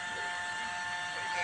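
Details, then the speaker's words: Bewon inverter on the bench, 12.5 V DC in and 240 V AC out: a thin, steady, high-pitched whine over the hum from inside the unit. "มีเสียงร้องมันมีเสียงร้องออกแอ้ๆมันมาจากพัดลมึเปล่า"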